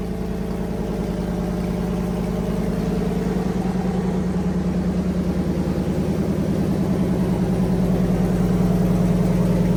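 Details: Fully rebuilt Magnum 318 V8 (360 cam, roller lifters, new timing set, valve job), timing adjusted and vacuum leak fixed, running heat cycles; steady even idle with smooth pulse building slightly, runs clean and healthy.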